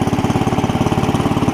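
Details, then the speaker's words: Cub Cadet 70 garden tractor after drive repair, engaging first gear, clutch grabs and drives: small single-cylinder engine thumps steadily at a fast idle, about fourteen beats a second, no misses or knocks; normal running. "first is down to the left the release it grabs and it drives"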